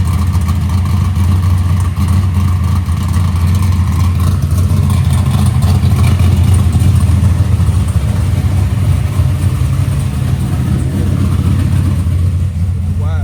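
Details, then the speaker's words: Box Chevy carburetor intermediate-circuit tuning, warmed up, after a mixture adjustment: steady deep V8 rumble with a lumpy beat; still rich with some unburnt fuel under part throttle, though improved slightly. "A lot better. Still going rich, but it helped it a little bit. [Music] [Music] We got to idle it down. We cut it off. We still got a little We still got a little unburnt fuel uh under part throttle."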